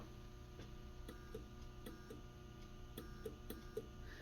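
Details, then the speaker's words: WRL Globe Scout 680 transmitter on bench after months on shelf, switched to transmit with key closed: faint steady low transformer hum with light ticks, no meter movement; energized but no output. "I do hear the Transformer trying to do something so just in case it's gonna work let's go ahead and move on to the next step"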